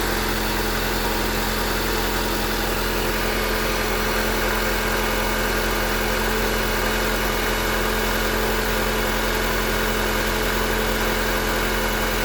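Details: Honda Accord 8 engine at steady idle with a fast, fairly even knock over a constant hum. It knocks when cold, lessens warm, and is still heard at 2000–3000 rpm. Valves adjusted 15,000 km ago, 5W-30 oil. Origin unknown.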